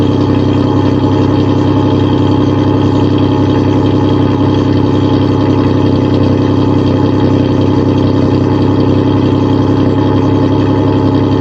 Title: Cold start, exhaust leak and all